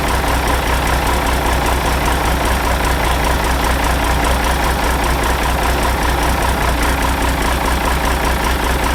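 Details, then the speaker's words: Ford 5000 tractor with a swapped-in Ford Brazilian 7.8 six-cylinder turbo diesel, early run after first fire-up, long-sat engine burning off water vapor: deep, steady idle with an even beat and no knocks or misses; running smoothly. "Wow, that thing ran. It seemed to run decent."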